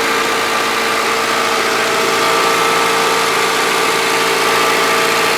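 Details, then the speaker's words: Honda Civic that overheated after hitting a raccoon, after repair: throttle propped at about 2,000 rpm warming until thermostat opens, listening for radiator fans to cycle on reused switch; steady, even fast idle, smooth hum, no knocks. "I got the throttle prop the about two grand about halfway up on heat or thermostat that opened"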